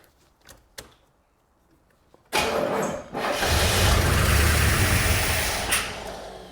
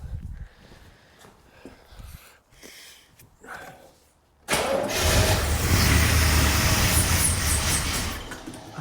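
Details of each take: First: 1984 Corvette C4 with Crossfire Injection, parked over 20 years, with fuel poured down the intake: a short crank, then it fires and roars, dips, catches again and runs rough on the priming fuel. Fuel delivery is suspected but unconfirmed. Brief fire, then stumble. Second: 1984 Corvette C4 with Crossfire Injection, parked over 20 years: after handling noise the engine catches and settles into a steady, even run with no knocks or rattles; sounds okay.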